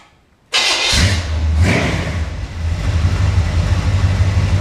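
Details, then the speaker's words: Engine run on a test stand with fuel system, water pump belt and exhaust hooked up: quick crank, catches at once, settles into an even, steady low idle with no misses or knocks; healthy start. "Fire right up."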